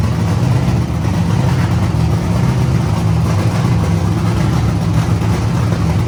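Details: Wagon project car first run after lean condition traced to manifold leak, temporarily sealed with painters tape on back of manifold: strong, even low rumble holding steady without stumbling or surging; clean idle, no sign of air leak.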